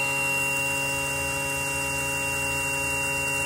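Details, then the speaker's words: 2000 Johnson 115 outboard trim/tilt motor run to demonstrate a squeal: a steady high-pitched squeal rides over the motor hum. The unit also now won't trim down; the cause has not been found. "Now, now this one has a problem. No, that's not possible. I only did this just to demonstrate the the squeal that I was hearing."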